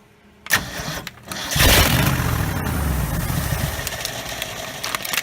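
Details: 1969 Ford F250 first start after 11 years, with a swapped carburetor, a replacement starter and a vacuum line fixed: a couple of short cranks, then the V8 fires and settles into a steady, slightly lumpy idle that holds; normal start and idle, radiator empty.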